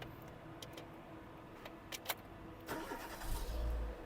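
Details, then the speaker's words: 2004 Renault Megane 1.6 petrol, five-speed, keyless start: a few clicks, brief crank, then it catches cleanly into a smooth idle; starts without problems, no smoke, no misfire, runs well. "Автомобіль не димить, не троїть, не супунить, не тріпається. Гарно працює."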